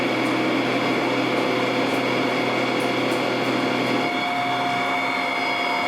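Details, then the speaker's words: Precision Matthews 1440TL metal lathe taking a 150 thou depth of cut on hex stock; rough cutting roar over steady spindle whine, easing after four seconds; normal noisy interrupted cut. "So I was cutting a hex so you can hear that quite a bit. Now I've gotten rid of the hex off of this."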